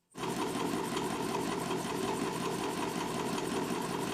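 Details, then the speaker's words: Homemade Stirling engine for bicycle after fitting two-way piston seal: fast, even mechanical chatter at steady speed, no stumbling; runs smoothly, gaining about 100 rpm. "Piston cukup ditarik dan didorong ke kedua arah. Dan kita telah mendapatkan tambahan 100 rpm."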